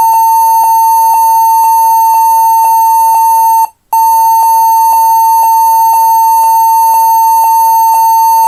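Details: HP 14s-cf2 laptop at power-on: steady short high beeps about two a second that repeat many times, though it still boots into Windows. Reseating the RAM was tried; the fix is setting BIOS to UEFI boot mode with a GPT-partitioned HDD/SSD.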